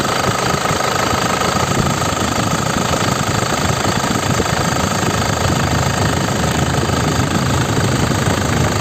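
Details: 2005 non-turbo LS diesel (Isuzu), manual, at idle: steady, even clatter with no misses, uneven knocks or blow-by ("ngobos"); crisp sound, dry underside with no oil seepage; healthy engine.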